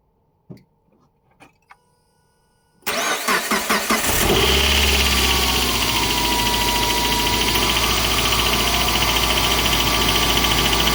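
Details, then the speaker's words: Suzuki J20 petrol engine starts and idles with a steady knocking, tapping sound. The cause was a worn bearing in an accessory belt pulley, and replacing the pulley cured it on a cold start. "All it was was bad bearing in this pulley. When you hear a sound like knocking, knocking, tapping like that, you automatically think it's the engine is shot."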